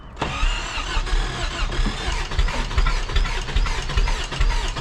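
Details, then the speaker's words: 1st gen Toyota 4Runner, 22RE, 5-speed, long-sitting, fresh battery: fast rhythmic cranking with uneven firing hiccups, never settles to idle despite throttle floored; it is getting fuel. Long crank, rough start. "also, sounds like this thing's trying to start, and that tells me it's getting fuel."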